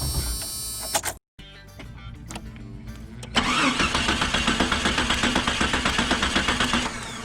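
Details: Vehicle with a no-start issue, spark plug removed for a spark test: starter spins the engine at about four even beats per second with no firing; cranks normally, spark confirmed present.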